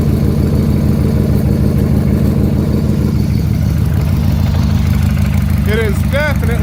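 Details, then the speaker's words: 1994 Harley-Davidson 883 Hugger with new 1275 cylinder kit, original heads and cams, cold start on 20W50: loping V-twin idle with a dull tapping knock; owner hopes it is the rocker pinion, cause unknown. "on this last heat cycle I did this morning I heard a knock and I'm hoping it's just the rocker pinion up on top"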